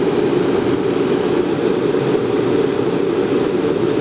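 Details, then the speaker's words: Riello RS38 forced-air gas burner start-up after a flame-failure test: pre-purge, then first-stage ignition with electric arc and gas solenoid valve opening. Steady, even fan roar with no surging or rattles; lights properly, normal pre-purge and ignition. "donc t préventilation là il se met en allure de démarrage der la première hure là il aend l'arc électrique mise à feu l'lectrovan est bien allumé ça marche nickel"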